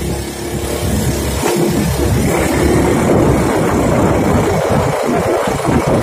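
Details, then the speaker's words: Honda Beat FI scooter road test: engine drones flat under throttle, never builds revs, reportedly no power at all and top speed drops; top-speed drop may be the TPS sensor, power loss cause still being checked. "ini katanya motor nggak ada tenaganya sama sekali dan top speednya langsung drop"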